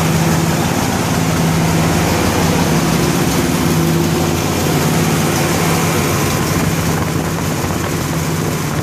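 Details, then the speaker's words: 1963 Corvette Split Window Z06 fuel-injected with solid lifters, cold start in freezing weather: loud, rough idle with fast, uneven ticking, a small exhaust leak mixed with solid lifter clatter. "got a little bit of an exhaust leak that sounds like"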